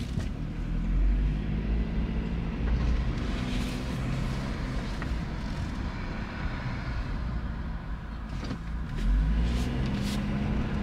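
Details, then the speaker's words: 2009 Honda CR-V under hard acceleration with a scan tool logging VTEC data: a roar, then a flatter, weaker pull as it drops into limp mode and the codes return. An intermittent VTEC solenoid or switch fault; oil level and condition to be checked. "so we got an intermittent uh solenoid or an intermittent switch problem"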